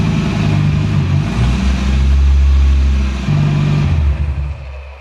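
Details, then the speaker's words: Skoda Octavia vRS with swapped Audi RS3 DAZA engine, first drive attempt, only about 1.8 l of fluid in the gearbox: deep booming exhaust swelling with revs; only a decat downpipe fitted, no catalytic converter or resonator. "yeah that's the reason it was very loud here's my uh Decat downpipe that is the only thing on the engine exhaust wise so absolutely no resonator whatsoever"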